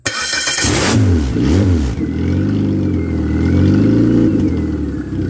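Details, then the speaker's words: Ex-race Neon engine on a floor test stand fires up; revs hunt and surge unevenly, then settle rough, running rich from too much fuel pressure with no regulator fitted; oxygen sensor function uncertain; charging, no coolant bubbles, good oil pressure. "too much fuel pressure"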